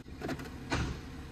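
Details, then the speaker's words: Smart Fortwo 451: whirring actuator, then a heavy thud as it slams into gear; harsh engagement from sticking clutch actuator at the rear of the car. "slams slams into gear so I'm going to show you how to fix that"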